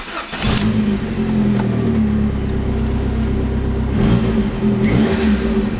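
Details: 1995 Dodge Neon ACR with complete 2004 SRT4 swap (engine, transmission, PCM, fuel system): fires quickly, settles to an even, smooth idle, then a clean rev blip with no knocks or ticks; healthy.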